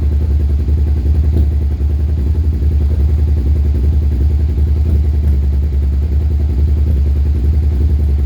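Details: 2001 Suzuki SV650: low, lumpy idle stumbling unevenly with occasional dropped pulses and a clattery edge; rough idle with misfires.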